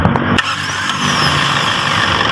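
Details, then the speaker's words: 1992 Toyota Corolla small body, previously only clicking at the solenoid when cranked; after the starter was reconnected it catches on one click and settles into a steady, even idle. Normal starting. "patay start okay t na sir one click na guys ganyan lang ah"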